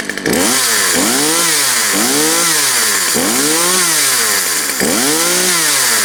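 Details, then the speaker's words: Poulan Pro 222 38cc two-stroke chainsaw after correcting misrouted fuel lines: revs up and down in smooth repeated sweeps, pitch rising and falling cleanly with throttle; oiling well, ready to return; normal running. "no there it is guys believe this one's ready to go back to the owner"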